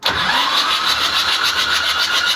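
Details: Mitsubishi 4DR7 diesel engine, failed to start after a day on standby: cranks in a steady rapid pulse but never catches; no fuel reaching cylinders number one and three, injector pipes clogged with dirt.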